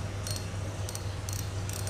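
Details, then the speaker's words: Used Shimano Nasci 1000 spinning reel, about 93–95% condition: low steady hum with light evenly spaced clicks as the spool turns, smooth and free with no grinding, anti-reverse working; reel runs very smoothly. "máy thì hoạt động rất là trânn chu rồi đó cực kỳ mượt mà luôn đó ngon lành nhé"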